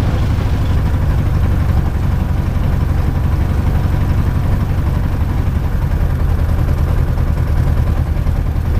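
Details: Light aircraft piston engine, ground run-up after plugs cleaned: low, heavy rumble with uneven, lumpy beat; rough running with vibration, no mag drop; owner believes not spark plugs this time, cause unknown.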